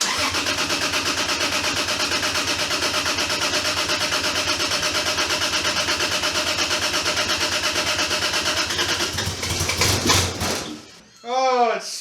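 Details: Toyota 2JZ (VVTi gear rebuilt, compression fault fixed) in a Datsun, first start in 10 years; fires to a fast, high idle with uneven choppy pulse, running rough, possibly misfiring; cause unknown.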